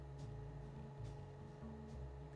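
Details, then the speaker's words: Eversys espresso machine brewing a double espresso during learn-quantity calibration, targeting a 36 g yield: steady low pump hum with a faint, even pulse and no rattles or straining. Normal brewing. "once it starts Brewing it will come up saying stop and we'll just watch those scales"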